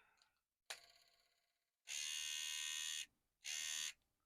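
High buzz starts and stops in short uneven bursts with silent gaps; the trimmer motor only runs intermittently. Cause suspected, not confirmed.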